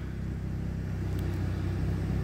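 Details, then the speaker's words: Used car at 87,619 miles, starts on the button, no engine warning lights: low, even rumble with steady beat and no ticks or misses; a smooth, healthy idle. "idles nicely"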